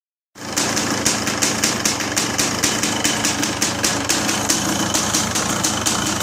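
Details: 550 engine idling after a bolt fell out and everything was resealed following an exhaust leak: steady idle, even light ticking about four times a second, no puffing or popping; runs fine.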